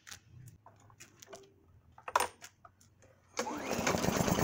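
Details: Briggs & Stratton lawn mower engine that had sat unused, after its carburetor jet pinhole was cleaned with Coke; a few quiet clicks, then it catches and settles into a quick, even putter, running properly.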